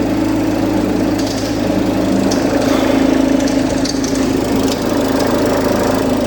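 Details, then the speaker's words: Range Rover Evoque at idle before repair: an uneven rattle at roughly three per second rides on a steady idle hum, from the worn auxiliary belt idler pulley/tensioner due for replacement. "She don't sound happy, does she?"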